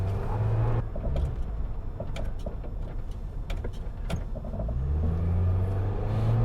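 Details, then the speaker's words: Nissan Cube on a test drive: a low engine and road drone with scattered sharp knocks, clunking from the front suspension; an exhaust rattle is also heard; tire pressure light on, no check engine light. "it's got a good pep no doubt i do hear some clunking in the front end"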